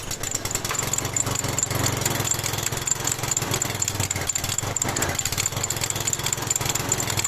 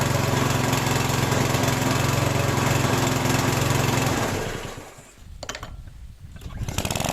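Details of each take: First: Lawn mower single-cylinder engine, smoking heavily, running rough at raised revs with faint light metallic ticking; valve tick, likely from excessive valve clearance, checked by removing the valve cover after confirming crankcase oil level. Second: Lawn mower small engine after valve clearance adjustment: runs even and steady with no metallic tick or dull knock, then dips and picks back up; running perfectly.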